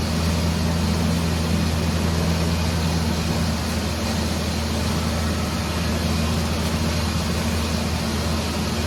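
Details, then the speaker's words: Ford 4.0 engine after repair, running after coil pack wire reconnected on third attempt: steady, even low rumble for nine seconds without stumbles or ticks; healthy idle, radiator possibly leaking slightly. "And for the most part, it's running all right. I think the radiator is leaking a little bit since I disturbed it"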